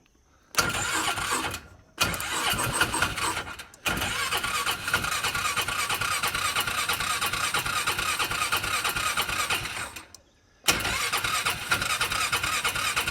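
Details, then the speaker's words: Cheap used UTV with water found in the filter: three bursts of fast, even starter cranking, each one to several seconds, no catch and no smoke; motor turns over freely and sounds healthy but won't fire. "I heard it try to start. Sounds healthy to me. I didn't see any smoke."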